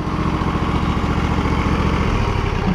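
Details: John Deere L120 lawn tractor, about 2005–06, V-twin, PTO engaged with blades spinning, fairly new blades and belts, PTO wiring stripped: loud steady thrum, even beat, no misses or bogging; engine and PTO running fine.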